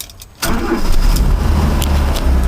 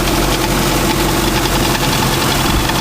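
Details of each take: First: 1985 Mazda ute, warm, just after new points and condenser fitted and gap opened: engine catches at once with a little accelerator and settles into a steady, even low idle with no stumble; healthy start. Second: 1985 Mazda ute (carburettor) after new one-piece points set, not started in two weeks, still cold on choke: steady idle with loose tinny tat-tat rattle; something loose rattling, source not found, points possibly out of adjustment.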